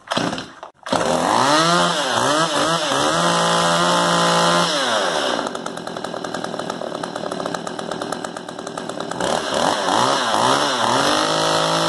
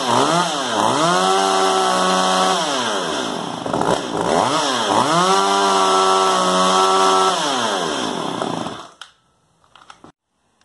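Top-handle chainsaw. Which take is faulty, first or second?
second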